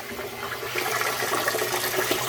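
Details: Frigidaire GLWS1749AS5 top-load washer after repairing squeaking upper transmission bearing with a quick fix: water hisses and splashes steadily into tub, no squeal, grinding or knocking; normal water fill.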